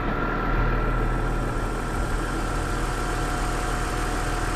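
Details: BMW E46 donor M54B30 straight-six, 179,000 miles, warming up at 700 rpm idle on a warm day, no warning lights, partial air filter housing: smooth, even engine note, no knocks or misses; runs beautifully smooth, slight delay before revs rise.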